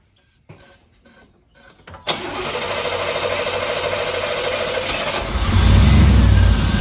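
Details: 1989 Firebird Formula 350, 10,000 miles, long stored: after tapping gummed injectors, several cranking bursts, then catches into uneven lumpy run; possibly fuel delivery trouble.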